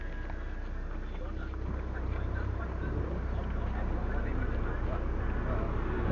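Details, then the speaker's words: Proton Waja MMC manual, idle with air conditioning on after the faulty idle valve (stepper motor) was replaced with an original JPN-spec Evo unit and idle reset/tuned: steady, even idle, no hunting or dipping; stepper over 60 steps, idle timing 8.5 ±; normal. "Okay, stabil. Okay lah, on aircon, stepper motor more than 60 step."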